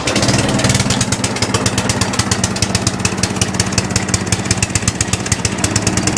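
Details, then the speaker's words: Atco Balmoral cylinder mower just started on choke, then set to rabbit, with no air filters fitted, idling: a fast, irregular ticking chatter over the engine. Belt chatter from belt and pulley tension on the drive side, to be investigated. "idols okay so no folks at the moment but we have got a bit of noise coming from here so let's investigate that shall we"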